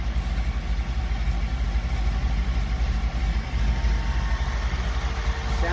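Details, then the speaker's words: 1977 Chevy Camaro small-block Chevy V8 with newly installed Edelbrock Pro-Flo 4 EFI, timing locked at 12 degrees, idle set to about 750 rpm: deep steady slow rumble, no misses, ticks or hunting; normal idle, looking good. "rpm i'm going to set that about 750 that sounds good so i'm just gonna keep an eye on things here [Music] looking good"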